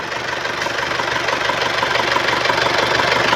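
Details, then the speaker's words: 1997 Isuzu Panther 2.5 diesel at idle: even clatter at about three beats a second, no metallic or piston-ring noise; engine normal, no smoke or oil leaks. "Dari suara mesin ini, tidak terdengar suara-suara aneh. Seperti suara logam atau suara ring piston . Jadi, suaranya masih cukup normal."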